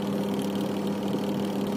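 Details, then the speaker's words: Sharp two-tub manual washing machine, wash section repaired after it failed while spin still worked; test run before insulating wires: steady even mid-tone hum, no scraping or knocking, pulsator reversing after pauses; normal wash motor operation. "dan kita on langsung berputar untuk washnya kita perhatikan perputarannya ya setelah jeda itu harus kembali atau terbalik"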